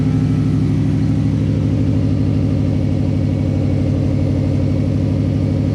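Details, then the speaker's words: Exhaust on a car with a new 3-inch mid-pipe, diff-back bolted up without a gasket, idling and revving: loud raspy puffing on every pulse from a massive leak at that joint, maybe only 30% exiting the muffler. "There's massive, just leak. You can hear it. It's just massive leak."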